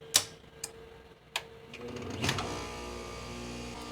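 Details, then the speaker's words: Heat pump compressor with Easy Start Flex on Anker Solix F3800 power station: a few clicks then gentle ramp to steady low hum, no thump or strain; 14.6 A inrush, 34 A peak, soft start working. "Wow, that was really good. It's only 14.6 amps with a peak of 34 amps. This thing is amazing."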